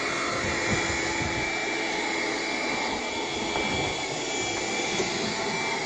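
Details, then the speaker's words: Bissell Power Glide cordless vacuum on low power, brush roll off, on hard floor: steady thin high-pitched whine over a level motor hiss, no pitch change; sounds like a clogged airway. "it keeps making like a higher pitch kind of sounding like it's clogged but I haven't vacuumed up anything that would clog it"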